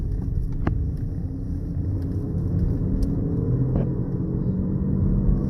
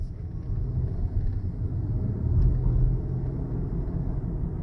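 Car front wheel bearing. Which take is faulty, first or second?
first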